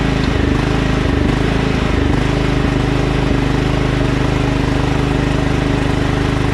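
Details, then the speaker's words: Other Craftsman LT1000 lawn tractor: the small single-cylinder idles with a slow rise and fall in speed, a gentle hunting surge. Carburetor cleaned twice and throttle bracket and spring adjusted; still surges, owner considers a new carburetor. "Tuning up the other LT1000 still surges a little bit. I might buy a new carburetor just for it because I've been fiddling with it all day today and I can't figure it out."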